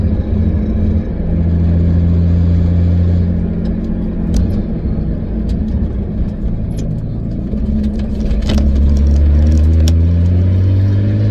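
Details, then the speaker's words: 2003 Nissan 350Z with 2JZ swap, cruising about 55 mph in fourth gear after a misfire fix: steady low drone with a firm, even beat and no stumbles or hiccups where random misfires used to occur; normal cruise. "right now we're cruising about 55. and I don't hear anything because usually they'll just be like a random misfire as you just you know go along"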